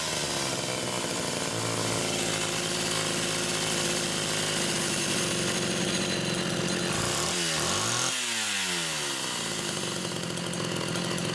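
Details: Homelite Super XL chainsaw test-running carburetor number 2 after its Welch plug was replaced; both mixture screws had been over 3.5 turns open. A steady, crisp two-stroke buzz with a quick clean rev up and back down, no bogging or stumble. Judged good.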